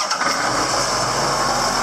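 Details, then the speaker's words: John Deere 8120 tractor diesel first start after changing air and fuel filters: catches and settles into a steady, even clatter with no stumbling or misfire; clean, healthy start. "she started up okay nice okay so I got fuel and I've got air so I must be doing pretty good"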